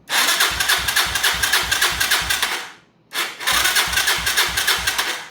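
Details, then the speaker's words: 2011 Yamaha Raptor 250, non-running, after starter replacement with carb hooked up: two strong cranking bursts with quick, even compression pulses; the new starter cranks much better, the old one was failing, but an earlier noise remains. "That cranks a lot better. So that starter was on its way out and was probably a lot of the problems it was having, but not the noise."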